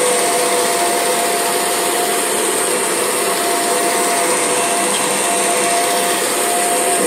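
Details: Kirby G6 vacuum with belt lifted so the brush roll is disengaged; steady shrill motor with a thin wavering whistle above the rush, an abnormal motor noise.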